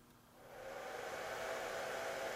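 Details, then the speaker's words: Cellpro PowerLab 8 charger during 30 A regenerative discharge of lithium EV cells to 2.5 V: cooling fan spins up at temperature into a steady, even airy whir with no rattle; normal fan operation. "when it reaches a certain temperature in the discharge the fan will come on you can hear"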